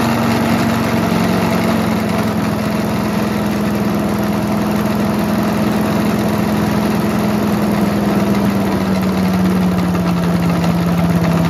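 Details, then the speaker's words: Mighty Mac wood chipper/leaf shredder, just restarted after choke flap replacement: steady running with heavy uneven shaking rumble underneath; violent vibration from flails out of balance with caked rust and mud. "Do you see how violently vibrating it is? So why does it vibrate so much?"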